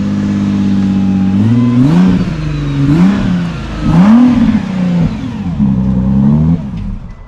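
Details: 2018 Nissan GT-R of about 1000hp, first start after replacing the injectors and possibly flood-damaged: several quick blips from a smooth idle climb and fall cleanly with no stumble, miss or knock; revs freely and healthily.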